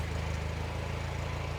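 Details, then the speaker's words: Completely restored 1951 Willys Jeep four-cylinder engine, heard at the exhaust at idle: steady even exhaust pulses with no misses, knocks or ticks; clicking them off just like it's supposed to, healthy running. "just like it's supposed to all righty very happy to see this running hopefully it runs for a long time"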